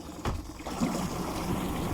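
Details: Mercury/Tohatsu 25/30 hp EFI outboard with Honda big tiller and Mercury shift cables, after install: short clip of soft, even low burble at idle over water noise, no knocks or misses; idles smoothly in gear.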